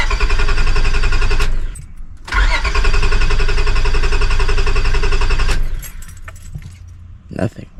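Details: 2002 Honda Accord coupe V6 after timing belt, water pump and radiator work: starter cranks steadily but never catches, no fuel pump hum; owner suspects bad main relay or defective part, unconfirmed; crank no start.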